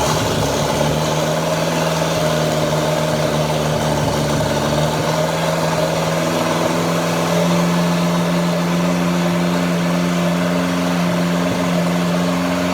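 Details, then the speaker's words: Junkyard 1984 Chrysler 2.2L turbo from Dodge 600, engine-stand start after fire damage, modified distributor, cleaned fuel rails, Holley HP ECU: steady even hum, settled low drone, no knocks; normal idle, owner asks whether oil pressure is too low at 2,000 rpm. "okay guys what do you think about this video on our Stand start on the 2.2 L Chrysler motor always awesome to hear the thing fire up"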